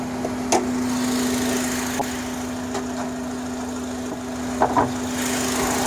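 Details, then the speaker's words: 2005 Honda Accord EX 4-cylinder at idle, engine bay: a fixed-pitch hum, loudest at the air filter box, lower with the hose removed yet still around the throttle body. IAC and PCV valves already replaced. "If you hear it here, it sounds louder from the filter box. If you remove the hose, the sound gets low, but it still sounds from around the throttle body."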